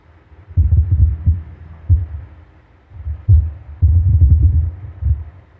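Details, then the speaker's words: Grand Marquis with Precision Power double-DIN head unit: irregular deep sub thumps in bursts with no music, worse when changing apps; feedback noise on the circuit since amp and sub were installed. "I have all this feedback noise on that circuit and it just sits here and thumps away randomly like right now pretty quiet and then all of a sudden it just starts going nuts especially when I change apps on the unit"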